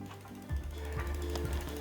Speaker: you can obviously hear that it's not rubbing so from here we're going to gently tighten down these bolts and listen for any rubbing along the way in case something shifts